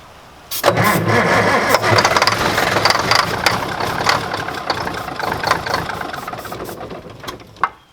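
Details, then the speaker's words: 1960s Mack diesel truck cranked on a large borrowed battery: starter grinds the engine over unevenly for several seconds, sagging and dying off without firing; no-start on battery run dead, needing recharge. "That battery's dead too. Alright, we're going to try it again, guys. Get the battery charged up a little bit."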